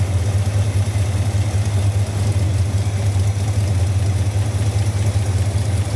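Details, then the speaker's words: 1971 Dodge Dart with an unknown-history engine, idle vibration under investigation after timing was checked at 0 degrees TDC on number one: deep, lumpy idle with an uneven throb. Cause not yet found; compression test next. "still trying to get to the bottom of this vibration problem"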